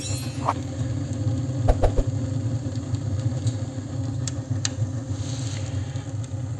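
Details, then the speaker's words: Homemade wood stove built from gas cylinders, about five minutes after lighting: bottom air inlet closed, 60 mm blower pipe open for straight-through draft; steady low rumbling roar with crackles and pops as the draft fans the flame. "вот так вот внизу закрываем вот тут открываем и прямоток слышно как начинает раздувать пламя улиток сказать"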